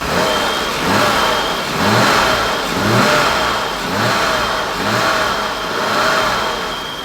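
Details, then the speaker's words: Freshly rebuilt 1990 BMW 535i M30B35 inline-six, on first start with exhaust and coolant while warming toward operating temperature, blips about once a second and revs cleanly. It is quiet, with no knocks, rattles or exhaust leak. "Engine sounds fantastic. So, it's the first time hearing it without open headers. So, we actually can really hear the engine itself. And it sounds beautiful. It's quiet. I mean, super quiet."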